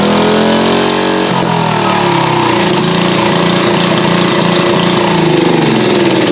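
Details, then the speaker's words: Late-1990s Briggs & Stratton GenPower 10 HP generator revived after cleaning and fuel pump work: single-cylinder picks up and settles into a steady, even chug, but governed speed is off and needs adjusting for output. "When I first started up, because it doesn't have enough RPMs, it will make 0 electricity. So it has to spin up to a certain speed before it can even energize the field coils to start making any electricity at all."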